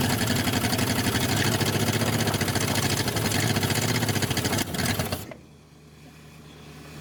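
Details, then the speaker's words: 1962 Dodge 100, first start in 25 years, idled up a little: steady idle with quick even tick about four times a second on one side; owner suspects rocker arm off or pushrod, no rod knock, little smoke or blow-by. "It's running a little better, but it's still got a noise, and it sounds like it's on this side. Like we may have a rocker arm off or a push rod or something."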